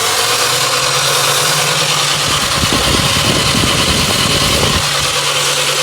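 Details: Toyota GLI after tappet setting and catalytic converter wash to fix a sound problem; engine settles into a steady, even idle under background hiss with no knocking or ticking; sounds healthy.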